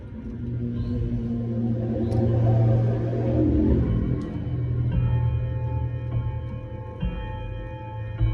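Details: Vintage Art Deco mantel clock fitted with a standard Hermle movement: clear, sustained chime notes decaying cleanly, other shop clocks possibly audible; chime working normally.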